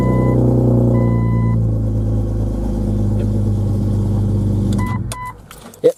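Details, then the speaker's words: 2000 Jeep Cherokee XJ Sport 4.0 I6 after coolant temperature sensor replacement: it runs with an even low rumble and no stumble or misfire, then a chime and shutdown; before, it fired once then died, or idled low and stumbled. "better cranking better than it was what I was doing it was crank when it went out this time it didn't it wasn't flooding the engine out"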